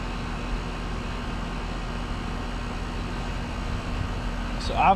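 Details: Split-system condenser after replacing restricted condenser coil, running while refrigerant is added for long line set; steady fan-and-compressor hum, low drone, no knocks; head 263 psi, 7° subcooling; normal condenser operation.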